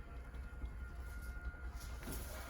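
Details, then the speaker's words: 2024 Forest River Wildwood Grand Lodge 42DL travel trailer, electric awning extending: a steady low drone with a faint constant whine and no knocks or catches; the awning motor runs normally. "The awning, of course, is electric, so it'll work its way out."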